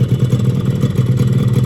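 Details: Restored 2004 Yamaha RX King two-stroke, mic held close, shop-bought boring, oil pump replaced with used 2008 original: fast, even ring-ding with steady low pulses, no rattle or misfire; healthy.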